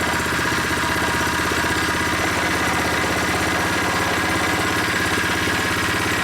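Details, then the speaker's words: New unboxed Predator 79cc single-cylinder engine on first start with stock tank and muffler, freshly filled with 0.37 quart oil, no choke: rapid, even popping at a steady idle while warming up, with no stumbles or rattles; it runs solid and healthy. "Let it warm up a little bit. This engine feels solid, sounds good."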